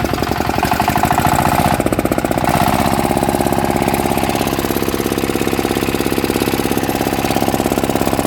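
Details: Yanmar 160 single-cylinder diesel after rebuild with new bearings: it starts easily and gives a steady, tight, regular thump with no knocking or rattle. Bearings quiet; the engine runs healthy.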